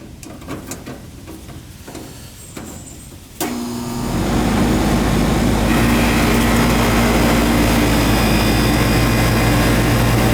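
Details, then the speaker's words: Goodman AC system with outdoor fan not running and a puffy capacitor: after quiet seconds the unit clicks on and a loud, rough noisy compressor hum follows. "BR compressor you hear it some noisy"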